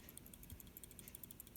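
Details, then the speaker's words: Refrigerator light on but compressor motor not running; shaking the removed start relay gives a fast, light clicking rattle, meaning the relay is faulty and needs replacing. "next shake the relay lightly hear that there is a tiny rattling noise if you hear that noise then your relay has a problem"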